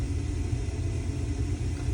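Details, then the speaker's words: New Nibe Fighter 360P heat pump: deep, steady electrical buzz repeating about every minute as the stuck compressor tries to start, drawing about 15–16 amps without tripping; compressor faulty. "this is a new baate 360p and the compressor is stuck it'll make a repeat buzzing noise and the amps will go up to about 15 16 amps"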